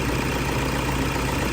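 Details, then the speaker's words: Toyota Vigo diesel after an engine rebuild. A forgotten oil refill after an oil change melted and seized the bearings; the parts were replaced. Warm after running all day: steady, even idle with a smooth low throb, no knocks or misses, healthy. "เสียงเครื่องยนต์นิ่งนะฮะคันนี้เรารันไว้ทั้งวันแล้วนะครับ"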